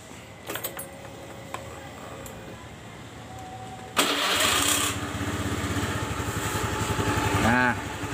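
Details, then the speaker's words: Honda BeAT FI scooter after repair for rough klotok-kletek engine noise caused by a damaged connecting rod and scuffed piston, replaced with new rod and 0.50 oversize piston: quiet, then starts and settles into smooth idle with no knocking. Normal idle. "nah bunyi Klotok kletok atau kletek kleteknya udah hilang ya tuh Coba dengerin dari sini nah udah hilang ya bunyi yang kasarnya"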